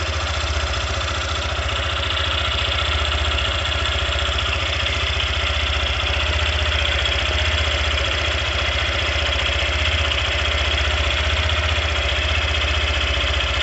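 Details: Engine noise at idle in a Factor 150 motorcycle: steady idle with a regular ticking beat, roughly three per second, over the exhaust; abnormal engine noise, cause undetermined.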